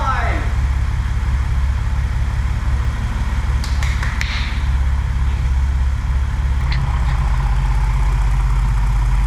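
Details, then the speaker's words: E28 BMW M5 first start after engine rebuild (head found in very bad condition, now rebuilt): steady, even low idle with a smooth rumble, no knocks or misses, dash all good; normal healthy idle. "it's alive everything's good on the [Music] dash sounding good"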